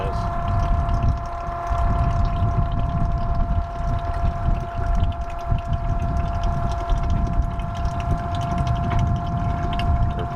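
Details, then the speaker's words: During a boat generator oil change at about 1200 hours, a two-way electric pump moves the old oil out of a bucket for recycling: a steady hum with a constant whine and gurgling churn, no surging. Pump running normally. "We're just pumping the oil. This is a two-way pump. We're pumping the oil out of this bucket so that we can dispose of this at the recycle center."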